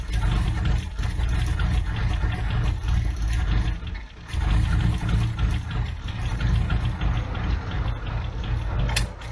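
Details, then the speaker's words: Abandoned Toyota AE86 with carburetor, after compression test and new spark plugs, warm day: starter churns in a steady low rhythm with short breaks but never fires; timing suspected next; cranks but will not start. "okay it would seem that she's still not happy not on fire so that's a good start"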